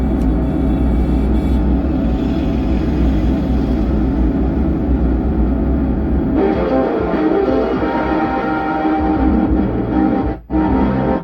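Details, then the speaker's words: 4440 IC dual-chip 100 W amplifier board: music plays rough and fuzzy with muddy, buzzing bass on FM mode; output still distorted even after new capacitor, new IC and volume control were fitted, owner suspects a broken wire. "इसमें भी आवाज clear नहीं बज रही है"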